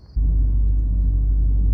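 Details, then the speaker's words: Toyota Corolla idling after replacing the faulty cylinder 1 ignition coil (misfire code P0301 moved to cylinder 2 when coils were swapped): steady, even idle with no stumbles or misfire, RPM stable while stationary. "هذا السيارة الحين على التجربة من بعد تغيير الكويل إلى كويل جديد، والحمد لله أمورها طيبة، ما في مس فاير، والسيارة شغالة، RPM ثابت حتى لو السيارة واقفة"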